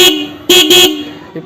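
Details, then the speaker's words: Vehicle horn after fitting a ready-made horn relay wiring kit giving full amperage at 12 V: three loud bright blasts with steady full tone, no crackle or weakness; horn louder and strong. "அந்த மாதிரி டைமில் நம்ம relay வச்சு boost பண்ணும்போது ampere full ஆம்பியரில் 12 volt கிடைக்கும் போது horn நல்லா லவுடாக அடிக்கும்."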